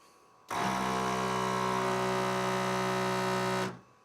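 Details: Air pump for rear air shocks on a 1996 Harley-Davidson Electra Glide Classic, mounted behind the side cases with relay and pressure-release solenoid, 20 A fuse; three-second steady buzzing hum, constant pitch, starts and stops cleanly; normal operation, slight vibration behind side bags.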